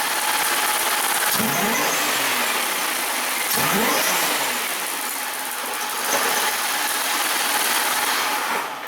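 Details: 2002 Buick Regal, junkyard low-mileage supercharged 3.8 L (231) engine swap, car sluggish on test drive: two sharp throttle snaps, revs climb sluggishly, stumble and hang instead of rising crisply; restricted exhaust.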